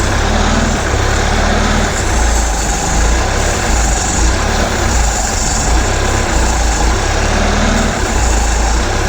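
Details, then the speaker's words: 1976 Mercruiser 120hp in a 1976 Starcraft boat, started cold and being fogged for winter storage: RPMs raised just above idle so it draws in fogging oil, a little smoke appearing; even, deep rumble with no misses or knocks. "we're going to take the RPMs up just a touch higher so it can drink some more of this starting to see a Little Smoke"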